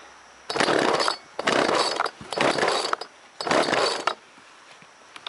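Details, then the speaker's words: Old chainsaw that had not run in a while, started after priming: four crisp throttle blips about a second apart, each revving cleanly and dropping back; primer slow to return suggests the carb may need cleaning. Normal running. "Oh, I hear it. Here we go. It's a good sign. Yeah, that's a good sign."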